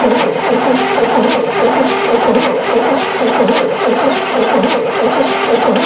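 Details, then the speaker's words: 1973 Chevy C10 squarebody, not run for 27 years, battery cables just tightened, hand-fed fuel, spark seen earlier, compression audible: starter spins the engine with an even chugging rhythm but it never catches. Cranks without firing; cause not confirmed. "It's not even trying. Alright, I guess we'll check again, see if we got spark."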